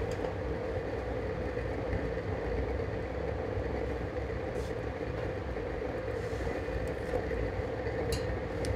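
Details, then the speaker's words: DIY gravity-drip waste-oil burner burning engine and hydraulic oil with a slow regulated drip: a steady, even roar with a low rumble and no pulsing or sputter. Running hot and stable; the vessel normally runs 300–400°C, up to 500°C at max. "I mean you can watch the flames when you can see the interior of your burner it's a slow burn and also the of course the noise that makes"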